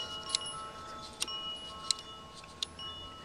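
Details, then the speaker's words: Train-Li R7 turnout on an outdoor layout: a few sharp, light metallic clicks as the points are switched; the reed switch controlling frog power is clicking normally, before a magnetized deck screw is brought near it. "I could hear the little relay read relay clicking each time I switch it"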